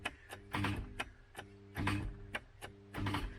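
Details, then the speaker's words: MK3 Ford Cortina with seized Kent engine, starter tried to free it: sharp clicks with a brief buzzing clunk about every second, no cranking; starter locked onto the ring gear. "we just want to try and get the starter motor to free it as well and that's seized you can hear that trying to that's the starter motor completely locked onto the ring ring gear"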